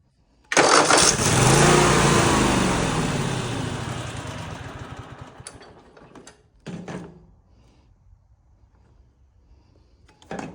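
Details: Husqvarna RZ 5424 zero-turn mower after a new starter solenoid, jump-started: starter spins the engine briskly, it fires and runs rough a few seconds then dies with no fuel in it; starter now cranking properly.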